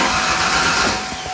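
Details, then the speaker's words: 1992 Ford Ranger with rebuilt 2.9L engine just reinstalled, first start attempt: steady cranking whir with no firing; no spark, caused by swapped ignition connectors. "you got an old spark plug yeah let's see if we got spark just crank it no spark nothing nothing"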